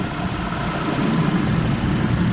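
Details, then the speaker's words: 2005 Chevrolet Colorado 3.5L after replacing the water pump, serpentine belt tensioner and idler pulley: a steady, even low idle, heater on, with no wobble, chirp or squeal from the belt drive and good tension. The engine sounds healthy. "No more wobble wobble. Tension looks good."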